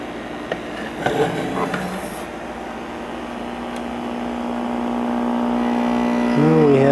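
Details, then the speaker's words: 1949 Motorola 58R11 AA5 tube radio, after replacing the open 50B5 output tube: a loud steady buzz with even overtones persists at zero volume and grows as the set warms. The faulty filter capacitor was diagnosed as the cause. "well with the volume all the way down we still have a really loud buzz so that tells me if the audio out excuse me it tells me it's the uh filter capacitor that's gone bad"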